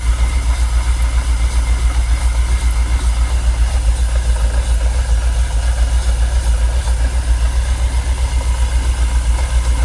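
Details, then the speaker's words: Jaguar XKR, fuel pumps dormant ten years, fuel pressure gauge reading 45 psi: low idle with uneven, lumpy throbbing about three to four a second, engine visibly shaking and not happy; rough idle, cause not yet pinned down. "You see it's still not happy, look. You can see the engine shaking."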